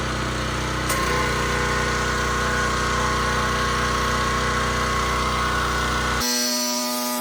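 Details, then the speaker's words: Harbor Freight Predator 3200 PSI 2.8 GPM pressure washer, 223cc (6.8 HP) gas engine, just started with choke and fuel on: steady, even engine drone at constant speed, fast regular pulse, no misses or knocks; normal running. "okay just started it up and we're going to give it a run now"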